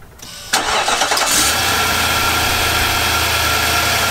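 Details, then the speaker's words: 2018 Nissan Armada 5.6 L V8 after new short block, about 3,000 miles on it; short crank catches at once and settles to smooth, even idle with no knock or tapping; normal. "video with the engine knock so this one shouldn't knock hopefully"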